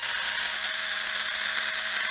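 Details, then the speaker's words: Cheap Black & Decker Li2000 cordless screwdriver after its plastic gears were cleaned and greased, low on charge: a smooth, steady high motor whine with a clean gear hum and no grinding or rattle. It sounds much better than before the greasing. "really sounds like crap not actually actually sounds a lot better could use a charge I guess so if you got one of these you know they sound like crap sometimes all it takes is a little little grease up in the end here"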